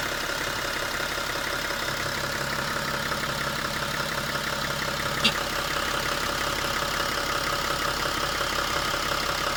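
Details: 2006 BMW 335d diesel at idle: busy, rhythmic ticking clatter over the engine hum, cause unknown.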